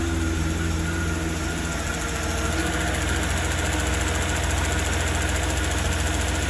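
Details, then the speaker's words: 1990 BMW 750iL (E32) V12 idling after work: steady, even deep smooth hum with no misses; exhaust note noticeably smoother than before, now sounding like all cylinders run equally. "so far the exhaust note is actually noticeably smoother uh i mean the tone was the same before but we kind of put not like it was missing but i just i truly don't think it was running equally across all cylinders and it really sounds like it is now"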